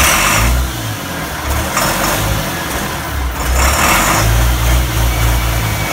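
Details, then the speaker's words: DT360 diesel without glow plugs, first run on temporary fuel can and jumper cables, fuel system hard to prime; loud steady clatter with firm low throb and small speed swells, sounds healthy; unexplained oil issue remains. "as you can see she sounds healthy but I gotta find out what that oil is"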